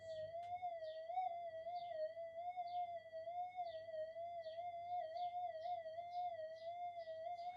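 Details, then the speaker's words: Minelab GPX 5000 metal detector, power supply reworked to cut supply-rail noise, in enhance mode: steady high threshold tone wavers and warbles unevenly with no target as outside electrical interference upsets it. "I can still get it up there, but the electrical interference is starting to really affect it. You can probably hear it anyway"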